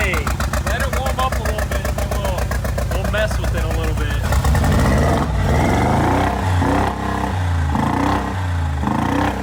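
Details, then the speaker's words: Rebuilt wrecked 2022 Mercedes G63 V8 with new Armytrix straight-pipe exhaust, just started and revved: a lumpy pulse that stumbles and surges, like missing on some cylinders. Owner suspects oil got into the spark plugs when it rolled over. "this tank rning on two cylinders it sounds like it maybe like we need to change like spark books cuz it was rolled over or something so oil could have got into them"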